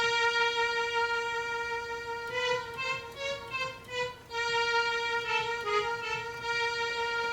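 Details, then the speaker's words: ARP Omni 2 synthesizer under restoration, all voices with very short release: short plucked notes die away quickly, but key number 35 hangs on with a much longer release than it should. "number 35 has a much longer release than it should."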